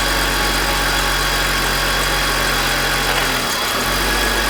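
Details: BMW E46 M52TU B25 idling with VANOS connected: harsh gritty grinding over six-cylinder hum with brief rpm sag, louder at startup; absent with VANOS disconnected, VANOS suspected but unproven.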